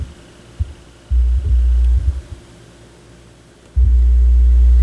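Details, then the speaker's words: Technics SL-B202 turntable during repair, RCA cables and tonearm wires being replaced: a deep, steady mains-pitch hum cuts in and out intermittently; suspected tonearm wiring, later found to be a broken left-channel negative tonearm wire. "there's buzzing no I don't think it is that it's got to be the actual wires"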